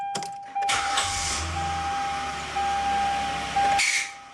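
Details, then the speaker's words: 2009 Hyundai Santa Fe idling when the starter is deliberately re-engaged on the running engine; harsh metallic screech and grind for about three seconds. The random screech was traced to a failing ignition switch. "it could be from a lot of things, but it's very distinctive in that it is caused from the starter re-engaging after the car is already running."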